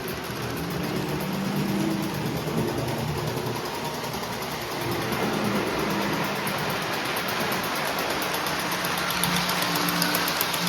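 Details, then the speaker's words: Postwar Lionel 671 turbine toy steam locomotive (686 steamer, 671W tender), after 25 years in storage, then cleaned, overhauled and adjusted with smoke fluid added, runs 2–3 minutes: light even motor whir, soft steady rattle, no catches or surges. Normal running. "We've been letting the engine run for about 2 3 minutes now and it's running very very well for a mid 1940s steam locomotive."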